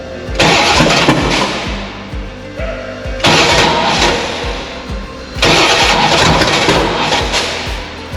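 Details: 6.2 LS-swapped squarebody crawler on Holley Terminator X EFI, 12.4 V battery: three short start attempts catch and stumble unevenly, never settling to a steady idle; the EFI was programmed with the wrong camshaft spec.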